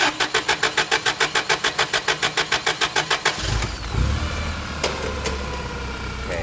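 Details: Toyota 8 Series 5,000 lb LPG forklift with 4Y-ECS engine, hard-start complaint: even cranking pulses, about 3.5 per second, drag on for over three seconds before it catches rough; long crank.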